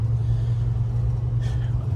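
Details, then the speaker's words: 1994 Ford F-150 driving after loose crank pulley and alternator bracket were tightened: smooth low engine drone, no belt chirp or squeal anymore after earlier nasty squeal; normal running, owner unsure why the belt noise stopped. "oh and I'm not hearing the belt anymore yeah which I don't know if I should be scared or happy yeah I don't hear the belt anymore"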